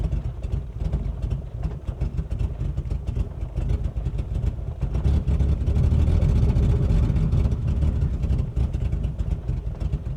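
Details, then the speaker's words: 1984 BMW 633 CSi engine runs with a low uneven rumble that sags and surges, barely holding on and near stalling; won't stay running; unstable idle. "Yeah, she did not want to stay running for me, so that's all right. We tried. You are alive. That's good. You are breathing. You're not breathing great, but there is a chance you could come back to life."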